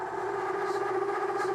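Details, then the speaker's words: Solid carbide endmill milling pre-hardened D2 (about Rockwell C20) at over an inch of engagement: loud, steady, high singing tone with overtones throughout the cut; chatter from the whole machine deflecting under heavy engagement. "Even a 10,000 cut over an inch 10,000 cut over an inch thickness engagement is a little bit challenging for this. You hear the chatter?"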